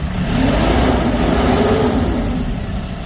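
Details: Kia K2500 diesel truck revved after an earlier problem of heavy exhaust smoke, now no smoke. The diesel climbs and settles through a firm rev with an even, steady clatter and no stumbling; healthy engine.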